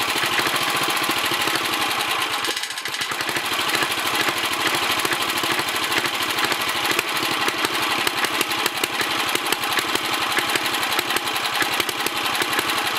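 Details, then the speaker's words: 1964 Sears Suburban 600 garden tractor with leaking sediment bowl: small engine pops along with ragged beat and early stumble, then settles somewhat steadier; uneven running, owner suspects carburetor needs cleaning and adjustment. "The carburetor needs cleaning out probably, and then adjustments, but other than that, who knows? little Sissy Blue runs again. It kind of sounds like she's straightening out a little bit."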